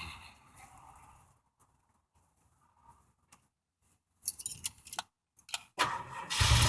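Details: Old farm truck with a 460 V8, battery pretty dead, jump-started from a Uniden 400 A peak portable power pack: brief crank, then the V8 catches and roars up cleanly; normal cranking and start.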